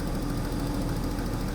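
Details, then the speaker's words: Daimler XJ40 idling after a highway breakdown in the rain: a lumpy, wavering idle with the engine visibly shimmying and not running optimally. The fuel pump relay felt neither warm nor loose, and there is no check engine light. Cause unknown. "you can see on the spring you can see how the whole thing is pretty much shimmying and definitely not running optimally"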